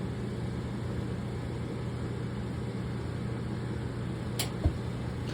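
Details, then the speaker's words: Gas dryer that was not heating, after replacing the gas valve coils: steady low drum rumble with a soft click near the end as the burner lights after the igniter glows; flame present, dryer working normally. "We have a flame, everything is working, and our customer is happy."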